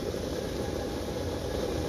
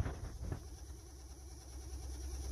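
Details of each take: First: 2013 Honda Civic heater/AC blower motor retested after removing a stuck receipt that was spinning inside: steady even whir and low hum, no ticking or scraping; blower motor itself fine. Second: 2013 Honda Civic with heater/AC blower on low then higher: low hum with a fast, wavering flutter from debris in the blower wheel cage; the alternative suspect was a failing blower motor.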